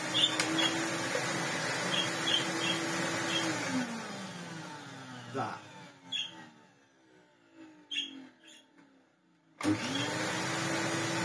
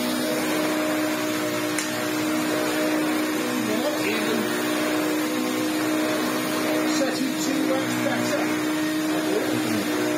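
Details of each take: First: Vacuum cleaner motor after switch-off: the hum falls away, then faint scattered chirps and ticks come through as it spins down. The noise started about a week into use; the owner suspects a dry bearing whose added grease has gone. It sounds fine while running. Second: Electrolux Turbomatic Z380 vacuum after the brush roll was reseated because it was stalling; it has a stiff new brush strip. Steady motor drone with an even hum for ten seconds, no dips or stalls. The brush roll now runs normally.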